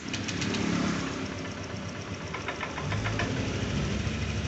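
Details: Honda Click 125i scooter with hard starting and no acceleration: engine runs low and uneven, never climbing in revs; fuel pump pressure measures about 1 instead of the standard 3, and the pump was reportedly already replaced.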